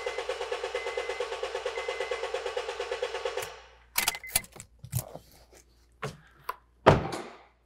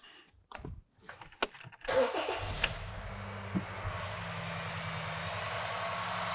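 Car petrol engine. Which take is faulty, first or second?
second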